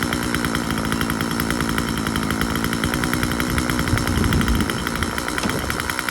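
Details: Husqvarna 136 two-stroke chainsaw after a carburetor cleaning, running with the cover off: high, fast buzz that holds steady and digs in slightly under the cut. The saw runs clean and pulls well.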